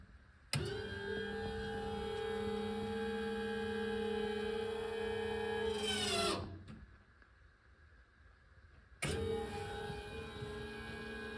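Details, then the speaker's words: Power window motor: even electric whir at constant pitch for about five seconds, winding down as it stops on its own at the limit switches, then starting again; normal power window motor operation. "close now. Still holding it down. It does stop on its own when it should, which is great to those limit switches."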